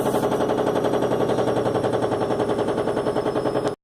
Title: Washing machine noise